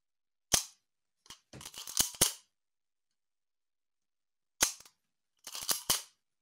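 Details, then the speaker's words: Canon A-1 freshly serviced (clean, lube, adjust), shutter released with a screwdriver to hear the shutter alone. Short dry clicks and a quick mechanical rattle, no squeak or weird noise, nice and quiet: normal shutter operation. "and that was the shutter itself there's no squeak there's no different weird thing going on it's nice and quiet"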